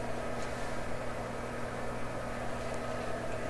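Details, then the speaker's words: Westinghouse console receiver on AM: a heavy steady low rumble with a droning hum under the AM hiss, like a transport truck parked outside. The rumble's cause is not identified. "Okay, so we're on AM. Certainly hear it. Sounds like there's a transport truck parked in my driveway."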